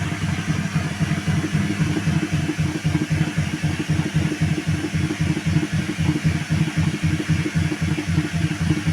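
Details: Washing machine during spin, about 37 minutes before end of cycle: heavy, regular thumping about four times a second as the drum spins up; violent knocking forced the cycle to be stopped, cause unknown.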